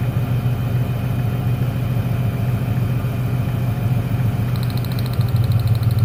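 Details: 1996 Ford Ranger 3.0L V6 lacking power, slightly uneven loping idle unchanged when the last plug lead is pulled; that cylinder, identified as number 1, isn't firing; dead cylinder.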